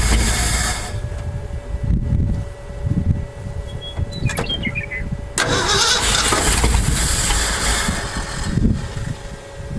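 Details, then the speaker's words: 1968 Ford F250 camper special, not run in years, new distributor, plugs, wires, coil, cap: cranks, catches and runs roughly a few seconds, then dies; owner suspects old fuel and a stuck carb float needle. "the previous owner said that it had run on old fuel maybe that's why it won't stay running"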